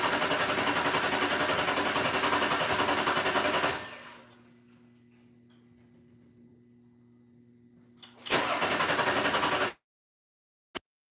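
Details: Audi starter cranks evenly for several seconds, pauses, cranks again, engine never catches, after the fuel rail pressure sensor and mass airflow sensor were replaced; codes remain, the scanner shows no communication despite voltage present, cause still unknown.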